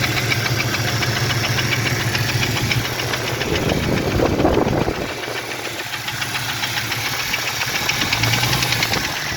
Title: what a Piston Slap Sounds like With Broken Skirt, 4.0L 2001 Cherokee XJ #pistons #4x4jeep